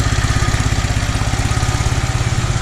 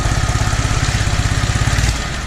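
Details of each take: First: Toro 2CV, just reassembled after carburettor work: even, unhurried smooth tick-over with soft regular pulse, no misses, knocks or hunting; carb seems improved though flat spot remains on throttle opening. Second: Toro 2CV after carburettor rework: steady chugging idle then beat falters and fades as throttle opens, engine bogs and dies; flat spot remains, owner suspects primary choke not working properly.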